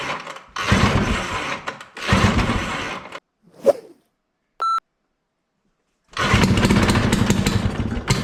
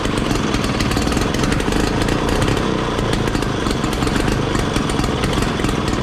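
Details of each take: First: 1968 Ski-Doo Super Alpine with Rotax 370 opposed two-stroke, muffler removed, on choke: bursts into life, then sags and dies between tries and never picks up revs. Fuel starvation: the expensive fuel lines fitted years earlier wouldn't let it pull enough fuel. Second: 1968 Ski-Doo Super Alpine with Rotax 370 opposed two-stroke, muffler found packed full by animals through the tailpipe and cleared, fuel lines replaced: loud crisp buzz revving freely without stumbling or popping, running as it should.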